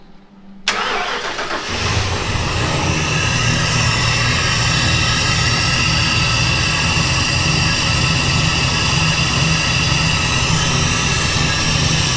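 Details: 1957 Ford Fairlane 500 V8, new fans wired direct to battery, first start before heat cycle: brief crank, quick catch, then steady even V8 burble with no knocks or misses; healthy start and idle.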